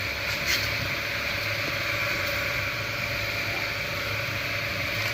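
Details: 1 HP three-phase 1440 rpm motor after rewinding in series connection, test run with about 1.3–1.37 A measured and about 2 A at full load: steady, even hum and whirr at constant pitch, no knocking or rubbing; runs smoothly.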